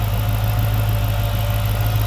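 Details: 2006 Chrysler 300 SRT8 V8 at idle after intake manifold gasket replacement (owner suspected intake leak from slight vibration on cold start): deep, steady low rumble with even beat, no knocks or shake, no body vibration; smooth, healthy idle.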